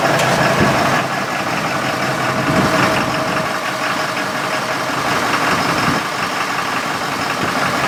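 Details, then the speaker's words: 6.7L diesel with diesel exhaust fluid (DEF) in the fuel tank, started briefly on fuel supply from a container: uneven stumbling clatter with loose irregular knocks at idle, not happy; rough running from DEF-contaminated fuel. "we started doesn't sound very happy though see how fast while fuel is returning sking pretty bad got Char there for the hose off not happy at [Music] all"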